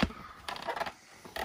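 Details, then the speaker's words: Three-motor singing fish head mechanism tested after repair, motor shaft gear replaced and motor bolted back in: two short free, even whirring bursts with no straining or jamming; normal head motor operation. "is not jammed, which that's the sound we should be looking for. That's going to work nicely."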